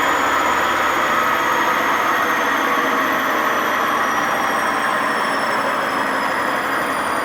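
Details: Washing machine WMA50 high-speed spin without ballast: harsh rushing roar with whining tones drifting as speed changes; badly worn drum bearing.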